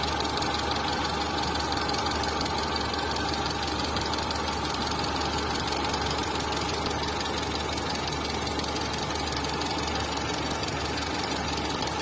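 Engine idling with a light, fast ticking knock riding over the hum at roughly three a second, pointing to camshaft noise.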